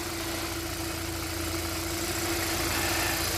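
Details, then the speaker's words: 2012 Kia K7 2.4 GDI Theta II gasoline, 143,891 km, after cylinder boring/rebuild for broken crank bearings and a failed oil pump, with all four ignition coils and spark plugs replaced: steady, even idle with a smooth low hum and faint tick, no knock or rattle; healthy. "엔진 상태 양호하구요 엔진소리 양호합니다 조금더 시동을 걸어 놓겠습니다"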